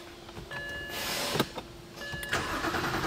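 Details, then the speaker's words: 2007 BMW 328i N52 engine, crank no start with F40 fuse removed to duplicate fault: starter spins in short bursts, never fires; no voltage at fuse feeding fuel pump control module, so no fuel delivery. "all right we can see we're cranking but we have no voltage we're still out of ground state we should be seeing voltage that that fuse should be supplying voltage to the fuel pump control module"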